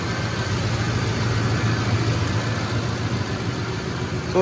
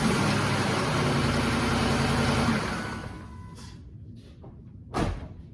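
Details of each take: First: 2007 Ford F-150 5.4L 3V Triton at cold idle after timing chain, guide, tensioner and cam phaser replacement: steady, even hum with no rattle or ticking; only a slight exhaust leak at the manifold or donut gasket. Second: 2007 Ford F-150 5.4L 3V Triton V8 cold start after sitting 15–20 minutes: loud, busy metallic timing chain rattle, worse the longer it sits, from tensioners bled off leaving chain slack; timing set due for replacement.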